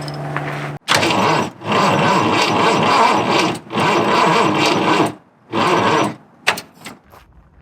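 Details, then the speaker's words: Fox Body Mustang cranked with a dead battery before jump-starting: starter drags the engine over in slow, heavy bursts about once a second, never catching; flat battery can't spin it fast enough. "Turns out this battery I brought is dead. I'm gonna jump start it real quick."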